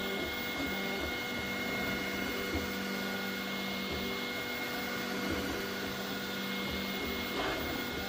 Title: Ender 3 v3 plus Grinding sound😐#3dprinting #ender3 #creality